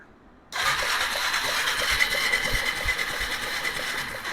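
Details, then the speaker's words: 2001 Yamaha Bear Tracker 250 ATV that sat a long time, spark plug slightly fouled: starter whirs with slow uneven chugging, about three compressions a second, never fires; spark check shows no spark. "Yeah, I don't see any spark."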